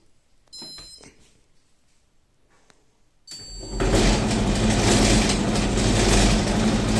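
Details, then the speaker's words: Candy tumble dryer: once the drum spins up, a steady low rumble and gravelly drone under the motor from a worn, noisy drum bearing. "it's got a noisy bearing that's it"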